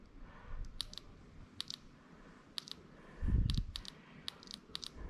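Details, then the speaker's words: LS3 injector bench-tested during first start-up troubleshooting of twin-turbo 1959 Chevrolet Apache (engine ran only on starting fluid): sharp light clicks in small groups, fuel draining through, injector now firing normally where it did not before. "I don't know if you can see the fuel but it's actually going down and injector now you can hear it clicking that was not doing that before"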